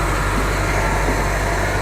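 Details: 1970 Buick Riviera 455 V8, first run after restoration once fuel supply was fixed: deep, steady idle with an even low burble and no knocks or skips; normal idle.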